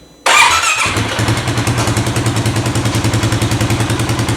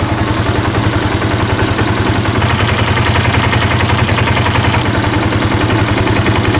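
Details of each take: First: 2018 Polaris Sportsman ACE 570 after a timing chain replacement: engine catches into a fast, even idle with a high-pitched metallic rattle from the lower end near the water pump; the oil pump chain is very loose. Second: 2018 Polaris Sportsman ACE 570 after replacing the timing chain and the loose oil pump chain, oil topped off: even, steady idle with a clean low beat and no rattle, though the engine is burning oil, suspected rings; normal idle.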